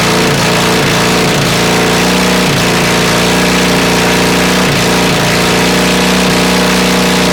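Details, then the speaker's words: Honda CB450 engine never run before, on 400 carbs, a 400 CDI and a 250 wiring loom, first start fed from an auxiliary fuel tank: a loud, hard-edged twin with uneven pops and stumbles and flames from the exhaust. It sounds very hot; mixture likely off. "Turn that off. I think I've gone deaf. But it runs. Wow. That sounds awfully hot."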